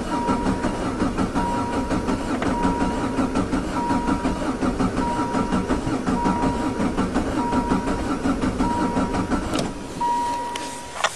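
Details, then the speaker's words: Diesel VW Jetta-converted caravan, high mileage, glow plugs about 10-15 s, cold start lever down: slow uneven cranking with ticking for about ten seconds; leaking corroded injection pump lets fuel drain back, leaving air; hard start. "And here we go. Almost. It's just sucking that fuel that's ran away."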